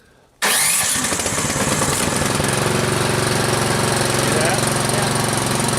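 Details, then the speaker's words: Troy-Bilt Storm 2840 electric-start snow blower, cold start after three clicks of choke and three primes: catches at once on cranking, choke opened, then settles into steady, even run while warming up; healthy. "you come over here and push the red button to crank it over as soon as it starts you open that choke up one"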